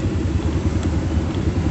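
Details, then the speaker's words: Honda Supra motorcycle after servicing, at idle: irregular dull tok-tok knocks coming and going, vanishing when revved; diagnosed as hardened clutch hub damper rubbers (karet kampas ganda). "Ini adalah suara karet kampas ganda. Bunyinya nggak peraturan. Kadang bunyi, kadang hilang."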